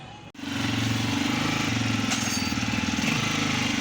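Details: Honda 125 single after oil pump gear fitting and seal change to cure an oil pump noise: settles into a steady, quick putter after starting, no knock or whine above the exhaust beat; normal idle.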